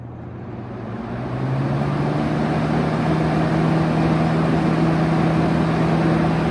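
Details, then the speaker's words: 1971 Kel-Aire model 7000 20-inch box fan, started on high speed: motor hum climbs and settles into a steady drone with a faint flutter. There is a slight startup noise and shake, cause unknown. "a bit of a startup sound. It's got a little bit of a shake."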